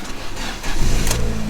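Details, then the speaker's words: Fiat 500 petrol, about 150,000 miles, bought as a cheap auction car: it catches quickly and climbs into a clean, even rev with no knocks or rattles, so the engine sounds normal. "150 foul there look revving it up it sounds alright In fairness and not too concerned about the engine side of it"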